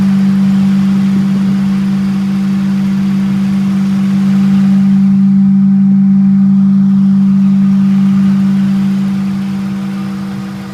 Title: Ford 4.6 Sohc Humming Noise